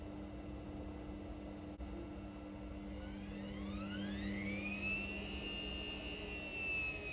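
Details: Indesit Innex XWSC61252 washing machine after repair of a no-drain fault, filter already cleaned: steady low hum, then a smooth whine climbing and settling as the drum spins up evenly; normal spin, though speed dipped noticeably when the high-speed motor coil engaged.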